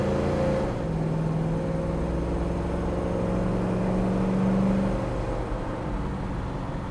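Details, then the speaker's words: 1966 Pontiac Tempest under acceleration on a drive: engine note climbs smoothly, drops cleanly at each shift and pulls again with no popping or stumble; shifts well with good pickup. "if you guys could hear that but the car shifts absolutely fantastic has good pickup it's not a hot shot but it's got plenty of get up and go"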